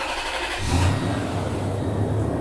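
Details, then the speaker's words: 2002 Toyota Tundra 4.7L i-Force V8 after rebuild for passenger-side blown head gasket (cylinders 4 and 6 were 120-130 psi), warm after 25-mile drive and 1.5 hour rest; cranks briefly, catches and settles into soft, even idle, much smoother than before; normal idle. ">> It runs really nice. >> It's purring. It's way way softer than before. >> It idles a lot smoother."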